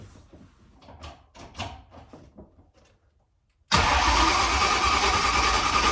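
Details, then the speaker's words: Ford Mustang GT cold-started at about 45°F after four months of sitting: cranks, then a loud cold idle with an uneven, lumpy beat. Owner suspects a misfire, maybe a coil pack; cause unclear. "it sounds like she might have a little bit of maybe a coil pack or something"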